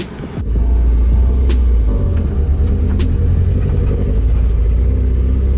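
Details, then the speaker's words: Nissan 240SX S13 driving around the block on its first drive: deep rumble under load surges unevenly with scattered pops, breaking up and not running correctly; misfire from ignition timing drifting with a loose distributor. "um and i know in the video you can probably hear it breaking up and popping"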